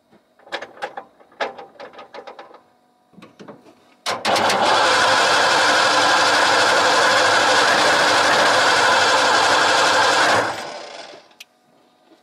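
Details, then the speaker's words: 1989 Ford F250 after fuel pump hot-wired to bypass a suspected bad relay, ignition started with a screwdriver: a few clicks, then catches and idles steadily about six seconds before shutting off; owner suspects failed fuel pressure regulator overworked the pump. "now the pump's working we're gonna try to fire it up"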